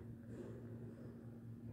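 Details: Elevator car rising with a low, even hum and no scraping or rubbing from the guides, where the dry-guide noise occurs only on descent; a visibly loose guide-shoe protection key seats properly going up.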